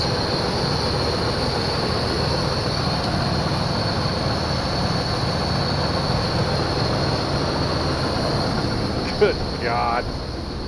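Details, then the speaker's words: 1991 Chevy Caprice, running after jumping the fuel pump relay (it was out of gas): steady, even low rumble at idle with no misses or knocks, running on all eight, no oil leaks. "we're good exhaust sounds good sounds like it's running on all eight"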